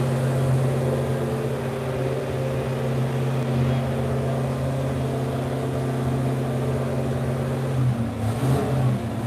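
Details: Freshly rebuilt numbers-matching V8, dyno-tested, cam broken in, carburetor and air-fuel ratio set, steady even idle with deep firm drone climbing cleanly on a light rev; healthy.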